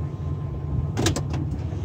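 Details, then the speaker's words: 2002 Ford F150 SuperCrew at idle, shifted from neutral into drive: two or three sharp metallic clunks as drive engages. The owner suspects a bad driveshaft U-joint. "Going to put it in drive and listen closely. You hear that clunking sound."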